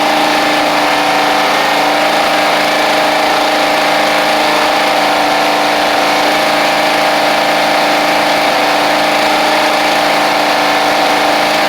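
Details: Toro Proline walk-behind mower, Kohler Command engine, sat unused April to November, first run after new carburetor and spark plug, blade missing: steady, even mid-pitched drone with no misses or knocks, running cleanly.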